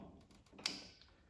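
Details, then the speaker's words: Honda HRX217 electric-start mower with dead battery, starter not engaging: in a quiet room one sharp click then a fainter one as the jump pack connects, signalling it is ready. "You just heard hear it clicking. It means it's ready."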